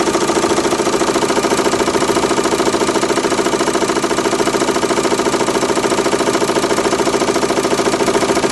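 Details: Renault Megane 2 1.9 dCi diesel: steady sharp knocking at about 207 a minute at idle that disappears when revs rise, slight vibration; cause not yet found.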